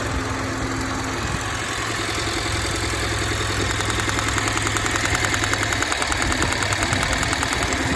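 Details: Honda petrol engine: uneven idle with an irregular stumble and a ticking pulse about three per second; sounds like a misfire, ignition coil suspected, cause unconfirmed.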